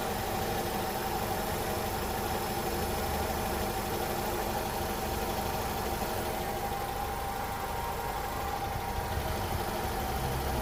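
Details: First-generation Honda CR-V, engine and cabin: steady even idle, smooth low hum, no hunting, whine or knocking; normal idle, contrasted with hum and whine from incorrect distributor timing.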